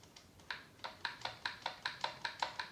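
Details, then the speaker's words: Traxxas Stampede 4x4 kit build, front end motor installed, pinion-to-spur mesh just set: crisp even clicking about five per second; normal gear mesh sound. "there all right so that loud clicking comes from there that sounds like it should"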